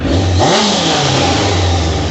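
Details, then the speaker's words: 1998 Suzuki Katana 600 carbureted after main jet change, idle adjuster broken so idle set manually; quick clean rev rising and falling, settles to steady idle without stumble; mixture wanted slightly richer, may raise mains; normal revving. "oh sounds good looks good I'd like to see a little black smoke I like to have them a little bit on the ridge side"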